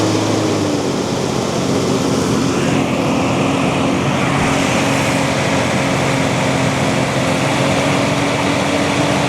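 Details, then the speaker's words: 1990 Toyota LandCruiser petrol engine, revived after years of sitting and running only on fuel poured into the carburetor bowl: steady, even run under a noisy fan roar, no misses; running well. "She's only running off what's in the in the bowl, but she's it's definitely running really well. The fan certainly noisy."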